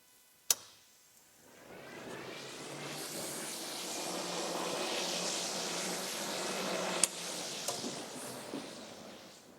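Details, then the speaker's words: Used race car (suspected to be a Dax, not a Lotus Super Seven) during a pre-track inspection: the manually switched radiator fan is clicked on, gives a steady airy rush for about five seconds, then is clicked off. The fan works normally. "a big fan want to make sure that the fan is working and that the radiator is not leaking"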